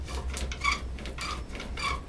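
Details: Pole lathe boring a hawthorn bagpipe chanter with a 5 mm bit welded to a 4.5 mm rod: three sharp squeaks about 0.6 s apart over a low rumble, bit binding in the bore.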